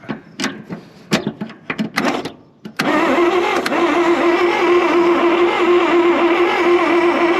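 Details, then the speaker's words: 1966 Dodge W200 Power Wagon not run in 25+ years: starter cranks steadily with a whine but engine never catches; no spark seen at the coil, so coil to be hot-wired. "Sure doesn't look like any sparks, so I'm gonna hot wire this coil and try again."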